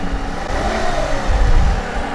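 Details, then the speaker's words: Car just jump-started with a JF-EGWO F40 jump starter: the engine catches and settles into an even, steady low rumble with a brief smooth rev, no misses or knocks; normal idle. "all right so as you can hear the vehicle started but what you want to do is you want to leave the car running for maybe 20 minutes so that the alternator can recharge the battery"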